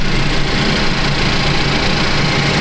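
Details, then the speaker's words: 2015 Cadillac ATS Luxury 2.5L RWD, junkyard used engine freshly swapped in, warming up at idle: smooth steady idle with faint light injector ticking, no knocks or misses; quiet, healthy engine running really smooth. "This one sounds good. You can hear all the injectors, so if it's picking up some abnormal, ticking sounds. That's all I hear. I hear the injectors. The engine seems to run really smooth."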